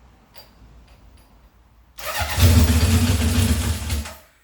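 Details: 1978 Honda CB750 K8 first start after ignition/starter repair and carb install, booster on battery, temporary fuel supply: quiet, short crank, four catches and runs strongly about two seconds before shutting off; clean healthy start.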